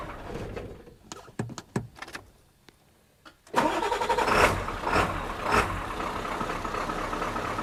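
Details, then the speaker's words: 1997 Ford F350 7.3 turbo diesel with new starter and batteries after wiring work: a few sharp clicks and cranking, then it catches into a steady, even diesel idle clatter; starts and idles normally. A fuse keeps blowing, cause not yet found. "oh yeah well sweet it's running that's all I can really do to it today"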